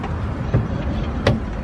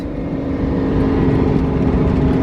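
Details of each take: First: 2JZ-swapped 555hp Nissan 240SX S13 on jack stands: driveline spun by hand in neutral gives two loud, sharp clunks about 0.7 s apart. Blown differential, again; the diff is to be replaced. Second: Nissan 240SX S13 with a 555 hp 2JZ, after a differential replacement and first start in 3-4 weeks, driveshaft spinning: steady, even drone building as it pulls away, no clunks or knocks. Normal running.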